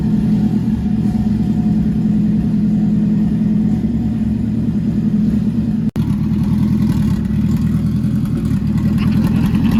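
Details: Nissan MR16 10k RPM build running after first start, good oil pressure, no leaks; flex fuel sensor stuck at 100%; firm even firing, no ticks, knocks or misfires; normal running.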